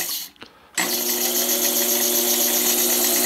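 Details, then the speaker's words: Coil winder motor slowed with a dimmer switch, no load: steady high whine with faint fast pulsing over thin motor hum; motor whining from too low supply voltage. "but I can hear the motor. It's whining because it's not getting enough voltage."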